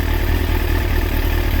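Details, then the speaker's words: Kawasaki ZX6R J2 four-cylinder after carb rebuild with new main jets and needle clip change, carbs synchronised to about 21 on the Carbtune Pro: quick, even, smooth idle with no hunting; balanced. "pretty much around about 21. That's as near as down as I can get them. So that'll do."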